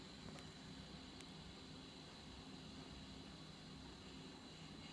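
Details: Z-15 gimbal on a GH3 camera gives a steady, quiet electrical buzz with a thin high whine from its motors after initialisation on every startup, after working fine for 20 flights.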